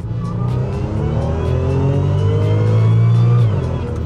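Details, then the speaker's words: Rebuilt 2014 Audi S4 supercharged engine (replacement for one that blew cylinder 4), driving under acceleration: strong steady engine drone with a faint blower whine rising with revs; healthy, even-sounding supercharged engine. "this supercharger is just so intoxicating as much as I love a turbo there's something about the Instant Power of a blower that just changes all things and then the wine is just a bonus"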